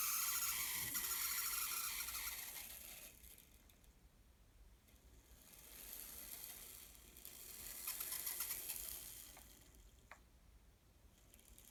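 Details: Fleischmann N-scale 040D model locomotive motor: a thin, fast ratcheting buzz that swells and fades with speed, with odd sharp ticks. Abnormal motor noise, cause unclear.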